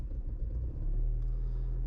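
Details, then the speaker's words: Engine idling low and lumpy, wavering unevenly during injector testing; injectors one and two passed, injector three flagged bad while fuel delivery is sufficient; faulty cylinder three fuel injector. "oh so we got a bad one on injector 3 let's go to four"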